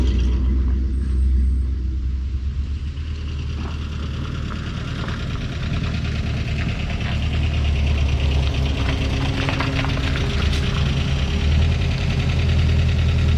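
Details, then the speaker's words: Old truck engine at idle: rough rumbling idle with a light, uneven tick about three a second; valve cover off points to a loose rocker nut causing valve tick, needing adjustment. "Because I'd like to adjust that valve, wouldn't you? Mm-hmm. It's really noisy, really annoying."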